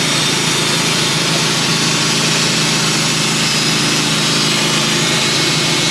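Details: Band sawmill cutting 1-by boards from a white pine log that sat on the ground a while, brand new carbide blade, after metal was cut out: steady engine drone with even hissing cut, no chatter or squeal; normal cut.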